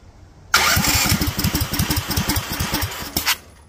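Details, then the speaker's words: Duromax 18hp single-cylinder engine with longstanding idle problem, started without holding throttle: catches abruptly, fires about twenty uneven, slowing pops over three seconds, then coughs and dies; won't hold idle. "Still died, although it tried to drop to 700 for some reason."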